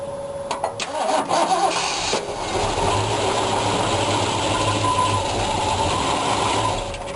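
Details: 1965 Ford Mustang GT with newly installed distributor/coil kill switch hidden as fog light switch, switch on: short crank, engine catches at once and settles into smooth even idle; healthy start.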